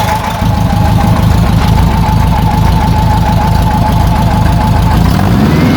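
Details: VW Type 4 Bug engine with a new serpentine belt system using an '89 Honda Prelude 2.0L idler pulley: steady, even idle under a faint constant tone, no squeal or chirp; the belt is running centered and clean.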